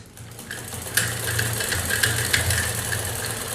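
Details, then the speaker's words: Sewing machine, after oiling the gears and refitting it: light, even ticking at about three per second with no grinding, running freely and fast, whereas before oiling it was very noisy. "देखिए ये आवाज़ ज़्यादा नहीं कर रही है, पहले तो ये बहुत आवाज़ कर रही थी, लेकिन तेल डालने के बाद ये अच्छे से चल रही है। और इसकी स्पीड भी बहुत ज़्यादा है।"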